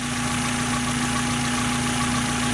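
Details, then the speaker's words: 1994 Mazda MX-5 Miata (first gen, package C), low mileage, idling: runs well with a light steady whir; owner suspects a slight bearing noise from the timing tensioner; lifters sound good, no top-end ticking. "runs pretty good you can hear a bit of a bearing noise and that's like pretty sure it's a timing tenser it's not anything major I know that so you can't really hear it now I'm pretty normal"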